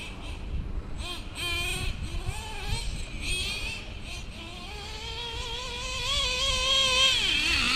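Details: Stock Traxxas Revo 2.5R nitro engine, Trinity pipe, VP Race 20% fuel, single-speed conversion with 40T spur and 15T clutch bell, after tuning: high buzzy revs climb and drop cleanly without sputter or bog; normal running.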